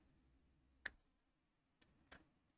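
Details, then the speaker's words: Battery kitchen quartz clock that had stopped, after re-bonding the broken battery contact tab with melted plastic: a few scattered ticks at irregular gaps instead of a steady once-a-second beat; intermittent ticking, mechanism fault suspected but not confirmed. "There's definitely something wrong with the mechanism because I can hear it every now and again."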